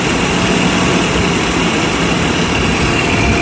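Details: Mercedes S600 coupe just after cold start following belt, idler and fan clutch replacement, previously squealed on startup: smooth, steady idle with no squeal or chirp from the belt; runs clean and even.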